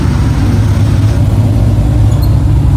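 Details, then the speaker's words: Cadillac CTS-V drift car, after the exhaust was fixed so it exits at the back, heard from inside the cabin: a deep, even rumble with no popping or ticking, far quieter inside; a leak or two may remain underneath. Normal exhaust note. "Oh wow, it's so much quieter in here. That's so quiet."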